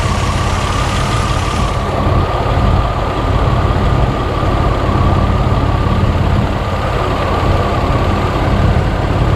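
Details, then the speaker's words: Barn-find Buick Regal Turbo after new plugs, wires, in-tank fuel pump and fuel filter; the cylinder showed 150 psi with oil added, and the plug was reinstalled. Loud, heavy idle, steady low rumble with a slightly uneven beat: still misfiring at idle. "so what i'm gonna do is we're gonna put the spark plug back in it and see if it see if the misfire changed any at all"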